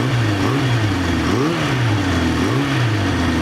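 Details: Restored 1974 Honda CB350 Four after a bench sync and then a gauge carb sync, with the air screws adjusted and carb number 3 trimmed: crisp, even throttle blips with no stumble or misfire. The four cylinders sound balanced.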